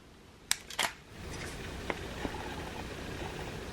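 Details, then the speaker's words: Canon EF 70-200mm f/4 IS lens on a 5D Mark IV: two quick whirring clicks from the autofocus motor, then a faint steady hiss from the image stabilizer. Normal operating noise, though the stabilizer is notably loud. "There's the noise of the focus motor, and then there's the noise of the image stabilization."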